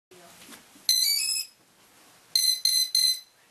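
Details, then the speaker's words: Hexacopter ESC calibration via APM after replacing a bad Deans connector: one long high beep, a pause, then three quick short beeps; normal ESC calibration beep sequence. "Next time you boot the uh APM, it's actually going to send the power straight to the motors. And you'll hear a couple beeps."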